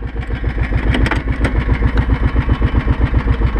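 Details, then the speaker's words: 2005 Kawasaki Brute Force 650 ATV after removing KEBC engine-brake clutch fork: coasting off throttle, even low thumping idle pulse, actuator audible but not engaging, no drag; freewheels without engine braking. "yeah you can you can hear the actuator like it normally sounds right now it's just rolling it's just rolling wow"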